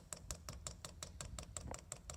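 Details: Chinese diesel heater on a bench test, first fire-up, dosing pump priming as fuel reaches it and speeding up. Light, even ticking about four or five per second with no clatter. Normal fuel pump ticking.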